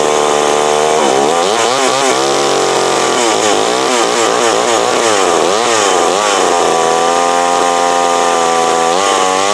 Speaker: There we go. That is that McCulloch Mac 120. So the thing about having me wore out, all it needed was a carb adjustment.